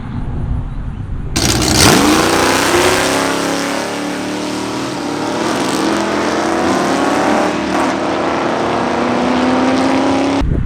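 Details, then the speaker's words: Mild stock-stroke, low-compression 318 V8 with home-ported 318 heads, nitrous launch leaving in second gear: hard launch flare, then a strong, even pull with pitch climbing steadily, no misfire or breakup; healthy run. "So I mean, you're talking about a stock stroke, low compression, 318 with 318 cylinder heads, home ported 318 cylinder heads. I mean, a really super mild combination."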